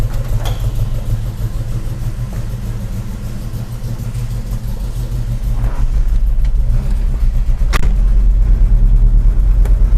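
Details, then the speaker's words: Volvo 145 carburetted petrol engine at its MOT: deep, even rumble building gradually with a few throttle lifts, no misses or knocks. Running healthy. "oh yes it's running like a cat uh you can you really can hear the the waers I like the sound and uh it's running okay"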